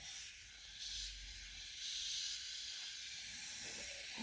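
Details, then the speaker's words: Radiator on central heating refilled after coal fire back boiler removal, being bled: steady high-pitched hiss of air escaping with no water sputter yet; owner notes air could still remain even after bleeding. "even though I get all the air the radiator I could still be air"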